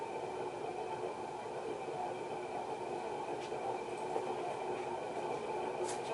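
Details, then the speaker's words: HRS Industrial model L-356 ceiling fan from 1991, cast iron motor, aluminum blades, on variable speed control; steady hollow rushing hum with a faint rough hiss over the fan; worn bearings. "Get you the bearings. Pretty bad, huh?"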